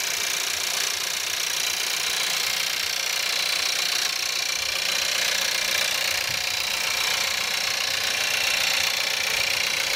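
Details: Skoda Octavia 1.4 TSI 150 hp petrol, cold start at -5°C, idling with a fast, fairly even metallic clatter that sounds almost like a diesel.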